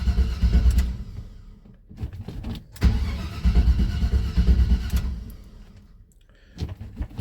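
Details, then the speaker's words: Chevy C10 truck fitted with a 4.3 starter that spins the engine faster: brisk, fast cranking bursts that catch into a firm running engine without dragging; normal cranking and start. "GM 1038 on YouTube put a 4.3 starter on it spins it much faster and uh I really like it it sounds good it's not lazy"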